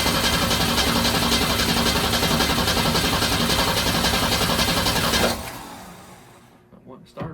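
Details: Ford Torino 250 inline-six with Carter RBS one-barrel carburetor that earlier wouldn't idle: steady starter churning about four pulses a second for five seconds with no catch; cranks but won't start.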